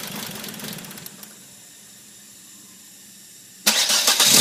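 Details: 1997 Volvo 850R after cylinder head rebuild: engine catches, settles into uneven, lumpy idle, then surges loudly; rough idle.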